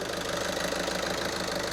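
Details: Skoda Superb 1.6 TDI diesel after new injectors fitted, coded and learned, repair finished; soft, even clatter at steady idle, every beat the same, no misfire or stumble; normal healthy idle.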